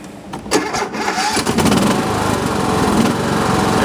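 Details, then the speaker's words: Cub Cadet LTX 1045 after repairs (brakes, two pulleys, a spindle assembly, deck drive belt), deck raised: cranks briefly, catches within about a second and settles into a steady, even rumble with no misses or knocks. Running great. "There we go. Running great."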